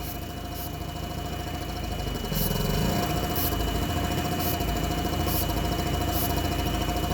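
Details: Nissan forklift, K21 engine, starts then dies, no codes, air box off: holds steady idle only with brake-clean sprayed in, faint hiss; lean mixture, fuel delivery insufficient.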